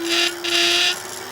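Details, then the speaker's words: Euphree City Robin X+ e-bike: steady motor hum with harsh hissy buzz in bursts when starting off. Loose internal tolerance in the rear cafe wheel lock vibrates the whole rear; holding a finger on the lock stops it, later fixed by squeezing with pliers. "the tolerance is inside the lock we're just a little bit loose and it was causing a vibration on the whole back of the bike but this is the noise it's making"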